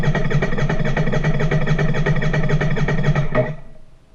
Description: Royal Enfield INT 650 failure to start